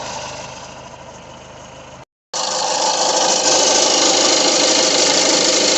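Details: Peugeot 2008 1.6 HDi DV6 diesel at 131,000 on the odometer, idling: an even rattle about four times a second from the crankshaft pulley, having quietened down a little. The pulley is to be replaced.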